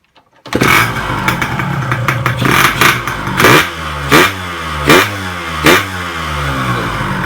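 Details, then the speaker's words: Yamaha RX-King two-stroke after rebuild, with conrod, piston and crankshaft bearings replaced, to fix a "klotok" knock and rough vibration. It catches, then blips crisply and returns smoothly to idle: healthy, smooth revving. "jika situ langsung enak banget ngeng ngeng ngeng bingung ya khas banget suaranya jadi agak gimana ya pastinya halusnya"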